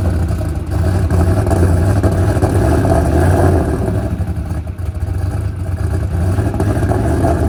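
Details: Ford Coyote V8 with 107mm turbo, injector settings changed to 850s, fuel pressure low: rough, uneven running with scattered pops and crackles, running lean; lean popping from low fuel pressure, pressure rising on revving.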